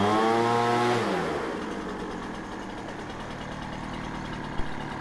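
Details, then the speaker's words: Poulan Pro 25cc two-stroke leaf blower that started then stalled, running after carburetor and fuel system repair without air cleaner or fuel filter, warming up in a cold shop of about 37°F. It drops from a high buzz to a steady, even idle: normal. "well that sounds pretty pretty darn good to me uh i will take this outside and um let it warm up for another minute"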